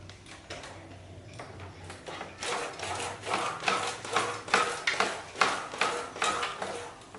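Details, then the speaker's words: Squeak about twice per second as the rear is compressed on a Vietnamese Super Cub copy bike: rear shock spring rubbing its rusted case inside; swingarm shaft greased first, noise perhaps slightly reduced; loud when riding. "今日もね、ちょっとこのコピーバイクやっていきたいんですけども、多分リアサスだと思うんですけどね、きしみ音がするんで、メンテナンスしていきたいと思います。"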